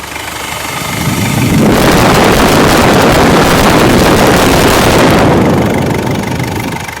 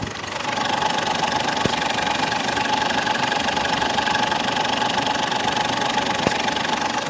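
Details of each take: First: Ford Endeavour diesel with turbo and EGR problem, after the vacuum line is reconnected: engine note swells as the mic moves in, a steady even clatter with no misses or hiss; idling normally. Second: Ford Endeavour diesel with low pickup, turbo and EGR problem, no check engine light: steady idle with a fixed mid-pitched tone and even fast ticking, heard close on the mic; mechanic then confirms the turbo's VGT is jammed, from carbon buildup or tampering.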